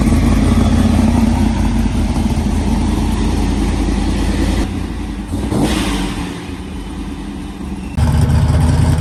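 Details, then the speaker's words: ProCharger-supercharged V8 Trans Am, 7-8 psi boost, with new 2-to-1 muffler and exhaust cutout, cutout open so exhaust bypasses the muffler; deep, loud, lumpy fast-beat rumble that dips briefly then returns full; normal open-exhaust running. "Listen to that thing. That's what the cutout opens. Well, it's not through the muffler. Yeah, the muffler quiets it down a lot."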